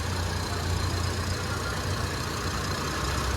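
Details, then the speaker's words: 2001 Suzuki Katana 4x4, hood open, rarely driven far, only used around home: quiet, even low rumble at idle with no knocks, ticks or misses, still very smooth; normal idle. "Suaranya masih sangat halus di mobil ini karena mobil ini memang jarang dipakai jauh, cuman sekitar rumah aja kalau ini."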